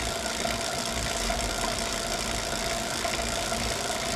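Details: Wahoo Kickr Core trainer while pedalling: loose, irregular knocking about three per second under a steady mechanical whir; trainer knocking, cause unknown.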